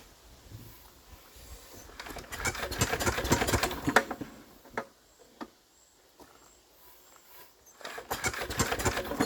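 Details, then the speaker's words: Enfield diesel, suspected hydrolocked; rack off: slow, uneven cranking bursts that labour and stall on compression, never catching, still tight. Cranking no-start; head removal planned. "I think it's a bit better than it was. Now, still stopping dead, but I think maybe we'll get somewhere."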